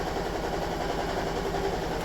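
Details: Toyota Estima Hybrid 2AZ-FXE 2.4L shaking heavily after about 4.5 litres of oil top-up and a long drive; low irregular chuffing beat, random multi-cylinder misfire with stored codes.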